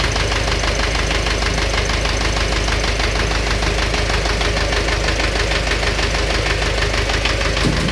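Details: Engine knock at idle: a regular internal knock of about 95 beats a minute sounds over the running engine; cause unknown.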